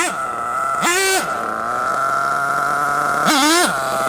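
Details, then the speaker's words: RC truggy nitro engine with the low-speed needle set too lean, later richened about half a turn; high buzz bogs and stumbles on blips, pitch sagging before recovering. "It's too lean, right? It needs to be richened up a little bit."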